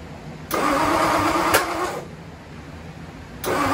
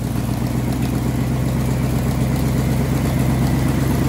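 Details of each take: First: Ford Y-block first start attempt, plug wires set for clockwise distributor rotation but the Y-block distributor spins counterclockwise: rough, uneven cranking bursts with a sharp backfire pop; crossed spark plug wiring. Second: Ford Y-block V8, garage rebuild with a rehone, just started after fixing plug wiring and TDC errors; low steady rumble with a few throttle blips, no misses or knocks, idling smoothly though still needing tuning.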